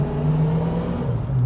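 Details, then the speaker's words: 1965 Ford Mustang convertible, 289 V8, 4-speed manual, driving: deep, even V8 rumble revving up quickly and settling, no knocks or misses, smooth gearbox; healthy engine. "gearbox feels very nice this motor revs up real quick nice and"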